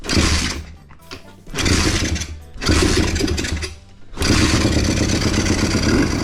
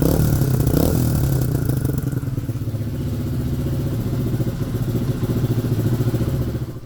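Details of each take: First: Pit bike single-cylinder, started with choke off: idle runs a little high and unstable, hunting up and down every few seconds, idle screw doesn't respond. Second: Pit bike after valve clearances, badly out of adjustment, were reset; now starts warm and cold. Small single steady thumps at fast idle with light revving, no misses. Normal running.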